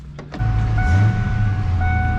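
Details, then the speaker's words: 1995 Mustang GT after replacing a bad alternator and rewiring the 3G connector: steady, even idle, and the whine previously heard when revving is gone. Normal idle. "it's good but I rev it I no longer hear that winding noise so it was a bad alternator causing my problems"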